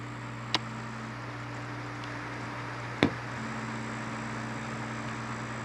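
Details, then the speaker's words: Dell Inspiron N4020 laptop processor cooling fan after repair, previously noisy and dead from lack of lubrication: quiet, steady low hum with no rubbing or rattle, two stray clicks; fan runs smoothly. "so now you can hear it run nice and quiet total cost for this repair absolutely zero"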